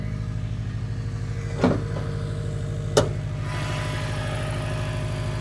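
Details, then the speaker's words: Subaru WRX bought as blown, which drove up the trailer: even, steady low idle with a smooth pulse, no ticking or knocking, just a couple of stray clicks; owner surprised it does not sound blown; healthy. "It literally doesn't even sound like it's blown up. No knocking, no nothing, which is, wait a minute."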